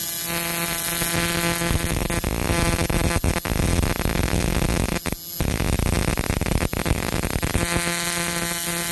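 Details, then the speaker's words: Battery-operated buzz coil (Model T style) with relay for a hit-and-miss engine, contact made on the engine; steady harsh electrical buzz without a break, firing continuous repeated sparks like a multiple-spark discharge. Normal coil operation. "spark so it's kind of like a uh a multiple spark discharge uh long before that was invented by other people such as MSD which is multiple spark discharge"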